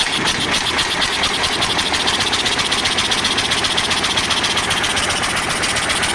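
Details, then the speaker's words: KAMAZ diesel expelling antifreeze, idling with a sharp regular knock about four per second; owner suspects a cracked cylinder head with a dropped valve seat letting gases into the coolant; unconfirmed. "может головка лопнула точнее лопнула головка отвалилось седло и вот и стук и газы страшный какой-то весь"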